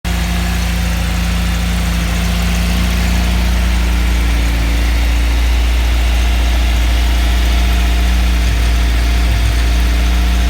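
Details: Nissan CA18 four-cylinder petrol engine with AFM plugged in and the exhaust leak fixed, idling with a steady, even low hum and no ticking or puffing from the exhaust.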